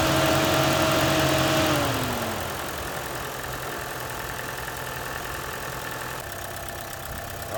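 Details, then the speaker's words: Chevy Cruze with P1101 code and poor idling, after cleaning the mass airflow sensor and resetting the computer: cold start with a brief cranking whine fading into an even, steady idle with no stumble or hunting. "right I had to reset the computer because I took the sensor off with everything but this is that cold start as you can see this island very nicely here"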